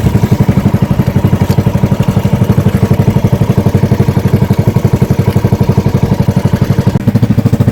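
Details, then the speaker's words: Engine misfiring again under way and dying; cause unconfirmed; loud chugging around four beats a second with uneven, stumbling pulses. "namamalya namamalya pa ulit Oh, namamatay."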